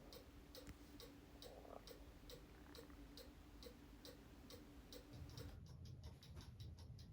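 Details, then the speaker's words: Cuckoo clock just hung on the wall with weights on but no pendulum yet: quick, even ticks about twice a second in a quiet room; the movement ticks fast because no pendulum regulates it. "you listen carefully, you can hear the clock beginning to tick. And it's ticking fast because I don't have the pendulum on it."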